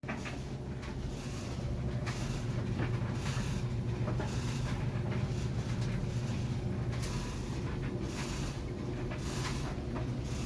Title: GE Stackable dryer grinding noise #helptofix